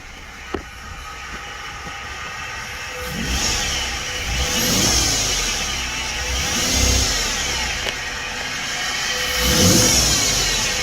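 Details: Stock 2011 Ford F-150 XLT 2x4, 3.7 V6, 160,000 miles: high whine from engine bay rising and falling in pitch with revs, turbo-like at higher rpm; began after heavy rain and driving through about a foot of water; owner says not the alternator.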